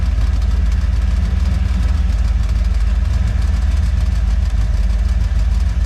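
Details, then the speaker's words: Boat on its first water test after a refit, engine idling: a heavy low idle with a steady metallic rattle about four per second on the engine beat. The owner suspects a loose valve that wiggles on the exhaust. "hear a pretty nasty rattle. I'm assuming on the camera here. It says valve. It wiggles a little bit from the exhaust."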